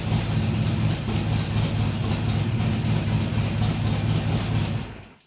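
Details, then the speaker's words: Harley-Davidson XR1200 V-twin cold idle after tuning changes made to fix hunting; even, low idle holds without rising or dipping for five seconds before shutdown; healthy, settled cold idle. "That's the best that thing has started up and just idled without messing around since I've had it. You can see there was no hunting around. It just fired up, settled into an idle, and didn't mess around after that."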